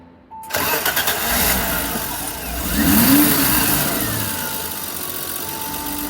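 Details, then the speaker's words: 1989 BMW E30 325i six-cylinder, warm engine with rough/surging idle: restarted with gas, idle control valve unplugged, revs flare then settle to steady normal idle; plugging ICV back in stalled the engine, pointing to the ICV. "as soon as I started the car I gave it some gas and as I was doing that andris he unplugged the ICV and then I let go the gas everything was kind of stable normal"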